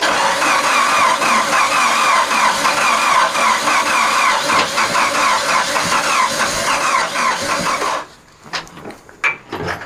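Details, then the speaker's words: A forklift that ran fine when parked cranks fast and evenly for about eight seconds and never catches, as if it has no compression. The owner suspects the timing chain went. "isn't that weird how the guy turns on his forklift and it sounds like it doesn't have any compression and it ran good when it parked it sounds like timing chain might have went"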